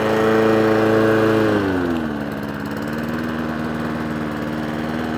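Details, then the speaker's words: Old Mountfield mower with a Honda engine after a full service, running off choke: a crisp, even note that drops smoothly as the throttle eases, then holds steady with no misses. Runs healthy, though idle adjustment on the carburetor is still needed. "Bit of idle work on the carburetor needed. I dare say it wants a really good run as well. But it pulls like an absolute train. Lovely mower."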